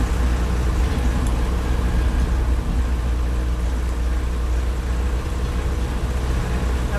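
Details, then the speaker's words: Land Rover Series III 88in diesel driving: steady low diesel drone with road rumble over bumps, no rattles from body or springs; leaf springs good, not bottoming out; rattle-free ride. "Very, very rattle free, as I hope you can hear. The leaf springs seem to be in good shape."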